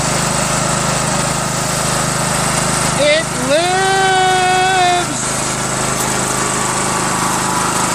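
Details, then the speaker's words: Craftsman LT1000 with a 21HP Briggs opposed twin, fuel pump replaced with one that has a spring; it runs with noises inside, then the governor revs it up: over-revving. "you see the governor how it just went up like that that's not good"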